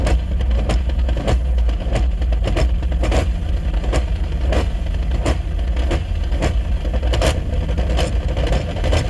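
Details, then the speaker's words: Drift car at drift week making a weird noise, suspected clutch, flywheel or transmission, heard with clutch in: irregular metallic clatter and sharp knocks over deep idle; inspection finds the flywheel loose. "So this noise is really weird. We've all decided it's transmission related, but we don't know exactly if it's clutch or flywheel or internal trans or what."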